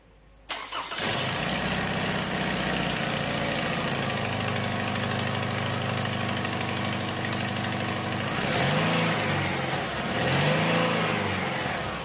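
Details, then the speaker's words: 2009 Toyota Highlander 2.7 L, about 260,000 km, cold start: loud fast clattery rattle, fading after two minutes warm; stethoscope finds belt tensioner chatter and suspected loose balance shaft gear. "刚才大家已经听到了，它这个发动机启动以后异响特别大，有一个咔啦咔啦的声音，而且它这个异响只有在凉车刚启动或者是上路跑起来的时候才会比较明显。"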